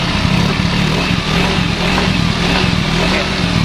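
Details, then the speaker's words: Yamaha Mio Soul 125 scooter after rear wheel axle bearing replacement: engine revs up and holds smoothly with an even note and no rumble or grinding from the rear wheel; noise fixed. "aman balonnya Jadi sekarang mesinnya sudah halus Oke Coba dites jalan [Musik] Oke halus ya suaranya ya"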